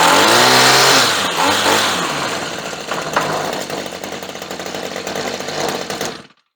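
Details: Redmax weed eater that wouldn't start, now running after fuel sprayed into carburetor and choke checked; small two-stroke buzzes up at high revs, then settles to a steady, even run before being switched off; runs cleanly.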